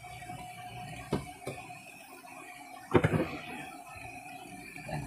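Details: Washing machine after replacing the spin motor, with a makeshift brake fix: steady motor hum, faint tone and a few clunks as the tub spins up; spins normally, brake stops it, though not immediately.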